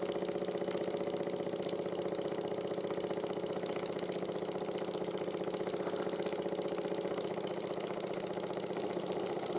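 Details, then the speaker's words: 1914 Ernst Plank 114/1 vertical steam engine after running gear rebuild with new crank pin, wrist pin and crank shims: steady beat around two per second with faint clunk each stroke; slight crank knock remains when hot. "s you can hear the knocking is still there try and fix that with but it's a lot quieter now than it was before"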